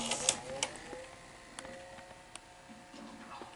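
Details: Sony SL-HF360 Super Beta HiFi Betamax VCR after repair of trace damage, a dry joint and resistors: light, quick clicks and a soft whir as the tape threads and runs smoothly, with no grinding. The loading mechanism works properly.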